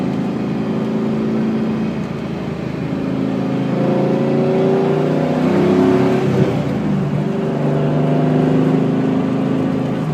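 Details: Drivetrain whine, rising and falling with road speed, while driving a car whose rear end, possibly an S60, has about 4k miles on it; babied, no track use or hard launches, about 400 hp at the crank; owner suspects tires or a bearing.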